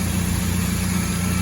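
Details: 1996 Toyota Tacoma after head gasket job, no-start fixed by correcting diagnostic port mounted on intake manifold: smooth, even low idle with no misses, knocks or ticks; normal idle.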